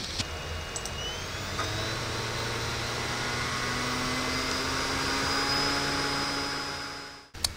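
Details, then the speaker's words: CD-ROM drive with the microphone placed beside it, running the Slax Linux live CD on a low-memory computer: the disc spins up with a rising whine, whirs steadily, then stops each time an application is opened. This is normal drive access. "you'll notice that every time I click on something the cd-rom drives ends up because it's actually having to access it like a hard drive"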